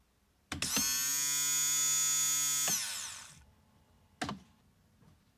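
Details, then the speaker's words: 1998 Jaguar XK8, new fuel pump bench-tested outside the tank, not submerged: clean steady high whine for about two seconds, then spins down evenly with no rattle or surging; normal fuel pump whine. "can't normally hear these very well because there's so many other buzzes and whines going on on the Jag when you start it."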